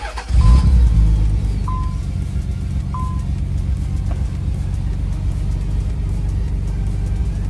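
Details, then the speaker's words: Warm Nissan 300ZX Z32 project car, just driven and restarted after installing junkyard parts; steady, even, very quiet low idle with no misses, knocks or ticks, music faintly over it; engine runs smooth, normal idle. "sounds like it's running really really smooth so usually it'll pop I mean the cars warm"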